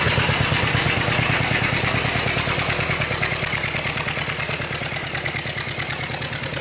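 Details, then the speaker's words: Yamaha F60 outboard at warm idle, good oil pressure, valve clearances checked: sharp, even knocking about three times a second, unchanged with cylinders 3 and 4 plugs out; crankshaft knock around cylinders 3–4, connecting rod suspected. "отчётливый стук слышно на коленвале в районе третьего четвёртого цилиндра"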